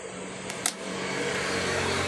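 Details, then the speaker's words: Electric fan switched on: click then steady low electrical hum, blades not spinning; lock screw came off so shaft binds in housing. Stalled motor hum, seized shaft. "So yun pala ang problema. Natanggal yung pinaka screw niya, yung kanyang lock. Kaya pagka siya umaandar, sumasama yung shafting niya dito sa kanyang housing."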